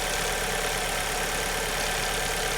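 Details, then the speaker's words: 2002 Alfa Romeo 147 2.0 Twin Spark, after repair: compression was fine, coils and plugs were swapped one at a time and the last of the four cured the idle and acceleration misfire; steady, even idle with a smooth hum, no skips or stumbles. "So then I changed the coil and the plug one at a time. There's 4 of them. And as you believe, it was the last one that I changed that fixed it."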